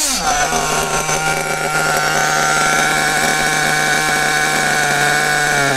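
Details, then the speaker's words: Kyosho-type nitro RC buggy (Bug TT8 RB One) with RB engine, static test after adjusting the mixture: high buzzy note picks up quickly and holds clean and steady, no stumbles or cut-outs; correctly tuned. "Donc là, on est arrivé à un moment où le moteur prend ses tours de toute façon tranche."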